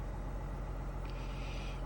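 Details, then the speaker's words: 2024 Silverado 1500 diesel started right up after DIY fuel filter service and fuel pump priming, no warning lights; steady even low clatter at idle, no misses or knocks, running smoothly. "Start right up. Don't see any idiot lights here."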